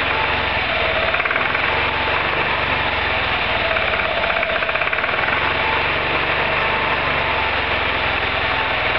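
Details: Roketa MC-54-250B scooter, 1730 miles since July 2008, stalling at every stop. Small single revs unevenly and labours under load, with an uneven idle that tends to die. Cause: intake and exhaust valves had zero gap at TDC; valve adjustment fixed it.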